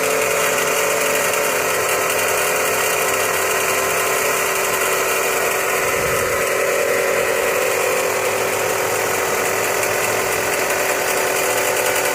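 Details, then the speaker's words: Chrysler 200 idling, pulley noise diagnosed with a mechanic's stethoscope: steady whirring drone over the idle; bad pulley noise. "now today what we're gonna do is we're gonna crank the car up and we're gonna diagnose a bad pulley that I have on this Chrysler 200"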